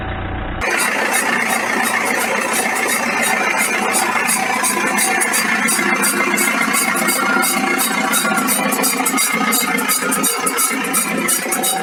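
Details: BMW E46 320d: rapid high-pitched creaking, about three a second, from worn universal joint of the propshaft at the differential; pressed-in joint, so whole propshaft replaced.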